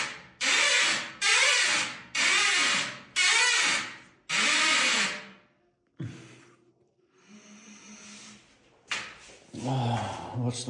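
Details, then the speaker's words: Glass shower enclosure door, after the sagging door was adjusted and seals replaced: five loud harsh squeaks as it swings. Dry, unlubricated hinges, quieted with WD-40 (silicone grease preferred). "И сейчас тут у нас заиграла музыка в петлях. Ну вот, слушаем."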